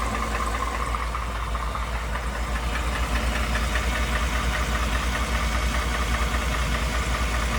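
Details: 2019 Ford F150 5.0 V8 at idle, previously repaired for stalling caused by bad VVT solenoids: a dull, diesel-type knock or clatter at idle, matching a TSB for 2018-2020 F150 and Mustang; cause not confirmed.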